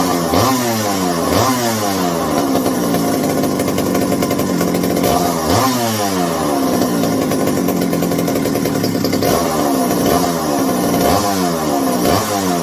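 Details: McCulloch 790 (MC101) chainsaw with new 090 carburetor and iffy, binding throttle linkage: idles fine, revs up and drops back about every second and a half; high-speed response comes in late in the running cycle.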